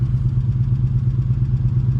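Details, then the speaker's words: Abandoned 1986 Nissan Maxima wagon with 221,000 miles, after decades sitting: heavy rough idle with a steady low knock about eight per second and lifter clatter; oil pressure down to nothing despite flushes and thinner oil; owner suspects bad oil pump. "you just hear it knocking taking lifters taking is gone"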